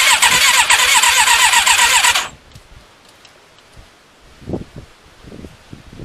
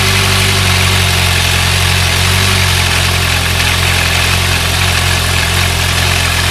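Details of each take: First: Thunderace motorcycle, stone cold, fuel primed: starter spins steadily at about four turns a second for two seconds and never catches; cranks but won't start, owner thinks the battery is going flat; fuel tank tap also leaking. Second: Thunderace motorcycle finally running after hours of work (carb cleaner sprayed, plug spark checked): smooth, even idle with a steady low beat, no misfire or knocking; normal idle.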